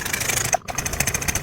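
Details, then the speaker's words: Yamaha NMAX new scooter with no ignition spark and a MIL code: fast, thin starter whir that sags and cuts out midway without catching; starter weak and intermittent despite a good battery, poor electrical supply suspected. "Sekarang starternya juga lemah, kadang kuat, kadang mati."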